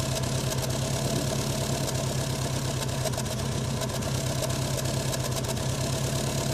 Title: Subaru rough idle on cold start